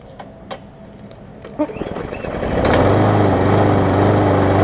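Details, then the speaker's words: Murray big wheel mower, original engine that had blow-by, now fitted with base plate from a swapped engine; after a few pulls it catches and settles into a steady, even drone with no misses: normal running. "but anyways here's the just want to finish this follow-up to this mower here and show that it runs hopefully runs good"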